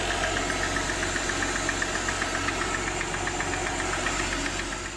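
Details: 2007 Mercedes E350 4MATIC abandoned by the roadside, jump-started with a dead battery. At idle, sharp, even knocking about four per second over a rough idle, a serious internal engine knock; it also burns oil, giving blue smoke.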